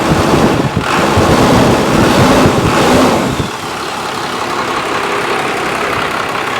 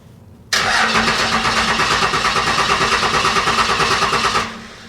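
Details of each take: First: Junkyard 1995 Dodge Cummins 12-valve P-pump diesel, 172,000 miles, first start after sitting, fuel solenoid holding: rev settles to steady even clatter with turbo whistle, normal idle, 40 psi oil pressure. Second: Abandoned 1995 Dodge Cummins 12-valve P-pump diesel that doesn't run: even starter cranking, about three compression beats a second, never firing. Owner suspects a bad battery connection; fuel solenoid gets 12 V and holds, air possibly in the fuel lines.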